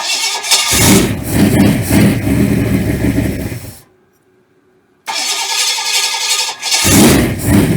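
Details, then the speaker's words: Cold start of freshly built 394 stroker V8 on first fire-up, timing moved one tooth, not yet warmed or timed; cold engine catches, runs roughly, drops out about a second, refires: hard cold start. "once we get it warmed up and get it to idle I'll get my uh timing gun out we'll set the timing and just well we'll just listen to it fire in a hole she's a little cold natured"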